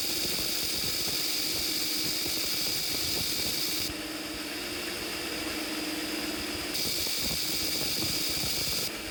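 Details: Treadmill motor for worktable sawmill on DC with new choke built from modified transformer: steady high electrical whine, faint even hum, no crackle; sparking reduced to almost nothing, brushed motor running smoothly.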